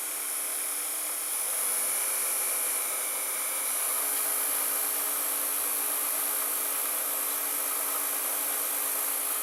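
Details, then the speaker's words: Toshiba M-3285C/M-3286C VCR with a replacement pinch roller, fast-forwarding at full speed with tape left loaded on the heads: smooth, steady high-pitched whir with no rumble or catching. Normal fast-forward. "and now I will press fast-forward it spins a bit with the controller engaged then it disengages the controller and those who full-speed password"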